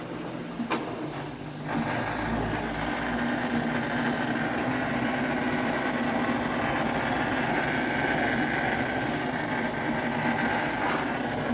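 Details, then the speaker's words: LG WM4200HWA front-load washer, a couple of years old, at the start of a cycle: a constant rough hum with a gritty grinding edge, felt low in the machine. A worn drain pump is to blame, fixed by replacing it with AHA75853803. "now it's grinding even more than the wash cycle coming from here you can feel it right on here"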